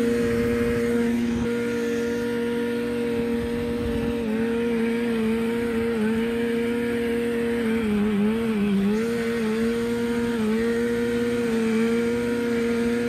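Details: 1987 Arctic Cat Cougar 500 snowmobile (Suzuki two-stroke), long sitting, run from an auxiliary tank: buzzy drone holds, then sags and stumbles near eight seconds, then recovers; cutting out, owner doubts carbs and suspects a firing problem.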